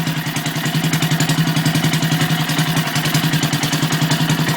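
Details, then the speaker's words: Circa-1959 antique Briggs and Stratton 2 HP single-cylinder, first start after complete rebuild, fresh oil, still needs carb tuning, correct spark plug and filter/pipe: chugging about 3.5 beats per second with odd uneven exhaust pops ("fartage"); valves still bedding in. "a little bit of a fartage happening there a little bit of a fartage again"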